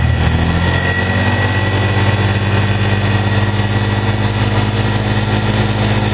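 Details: 2003 Polaris Ranger 4x4 500 after replacing leaking cam chain tensioner seal and gasket with RTV: even, steady low putter at idle, no knocks, ticks or hunting; idled about 10 minutes, no leaking or spraying.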